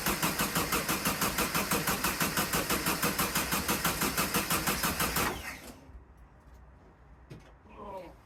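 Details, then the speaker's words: VW sandrail dune buggy sat 18 months, third start attempt after a new wiring section and new coil: starter churns evenly at three beats a second for five seconds with no firing. Fuel smell in the exhaust afterwards; crank no start. "Still nothing."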